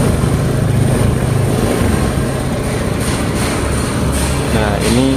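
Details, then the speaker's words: Honda Beat ESP scooter that was totally dead, after replacing the fuse and the SCM: engine starts and holds a steady, even idle with no misses or stumbles and no MIL blinking; normal idle. "hidup Ya sudah normal"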